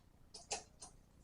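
A few crisp, light clicks from a bike shift lever as the chain steps cleanly onto the next sprocket.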